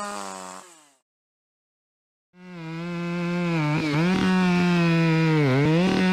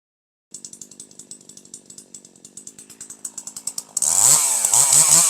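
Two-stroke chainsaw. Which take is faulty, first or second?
first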